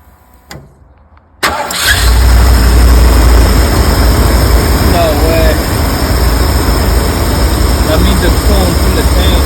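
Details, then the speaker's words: 1984 Ford E-350 RV engine, long unstarted, now fed from its own tanks with fresh fuel after varnished fuel removed: cranks, catches and settles into an uneven, loping idle; owner suspects many vacuum leaks contributing. "yeah it doesn't sound bad either got a rough idle I know there's a bunch of vacuum leaks everywhere so that's probably contributing to the the the bad Idol"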